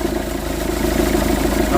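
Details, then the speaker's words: Engine idling with a quick, even rattle of about ten beats a second over the hum, from a worn accessory belt tensioner seen moving far more than it normally should. "bruit moteur, c'est le tendeur qui achè et on voit il bouge énormément. Je sais pas si on arrive à distinguer le bruit. Ça fait énormément de bruit. Ça c'est le pendeur de de couro d'accessoir qui achès."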